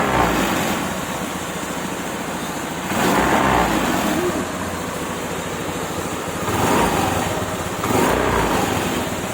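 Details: Honda Activa 3G scooter after half-engine rebuild with new piston rings and gudgeon pin, original timing chain kept: even idle putter with gentle throttle swells, no tapping or rattle; runs smoothly.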